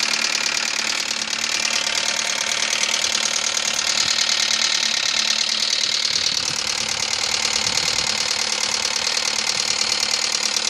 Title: 2000 ford focus knocking ticking noise help what i